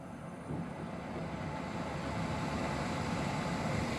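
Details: Swegon Casa W80 heat-recovery ventilation unit fan motor: low, rough rumbling hum under rushing air that swells slightly, caused by dirt stuck to the fan impeller blades.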